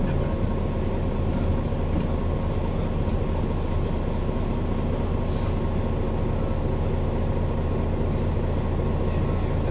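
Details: Mercedes-Benz Citaro O530 LE bus, OM457hLA 12-litre 299 HP Euro 5 diesel, ZF Ecolife 6 AP 1700B automatic with overdrive, cruising at even speed: steady mid-pitched gearbox whine over the diesel rumble, unusually noisy for the fleet.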